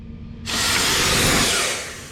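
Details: Ural 4320 logging truck. A loud steady hiss appears suddenly when the brakes are pressed, then eases: air escaping from a holed air brake hose.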